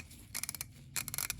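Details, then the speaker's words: Roughly 90-year-old Craftsman 1/2-inch drive ratchet (BT date code, 1936–1938), before cleaning and lubrication: two quick bursts of fine, even clicks with no skipping as the handle swings. A smooth, healthy pawl, "purring like a kitten." "Listen to that. I mean, it is practically purring like a kitten."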